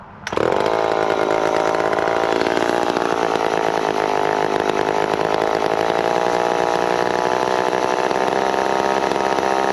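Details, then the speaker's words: McCulloch Pro 10-10 Automatic chainsaw while cutting cookies off logs: fires and settles into a fast, steady buzzing idle that stays high rather than dropping back; idle speed set too high. "a little bit the idle is pretty high"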